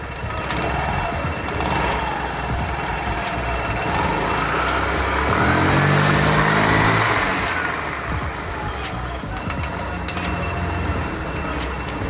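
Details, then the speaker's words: Scooter CVT after repair, belt refitted, scored part sanded, nut greased and torqued, cover still off: revs up smoothly and settles back with an even drone; clutch engages without judder, scrape or rattle, normal. "Este ya agarra, ya no hace ruidos anormales, solamente vamos a poner la tapa para volver a confirmar si no hay algún otro ruido anormal."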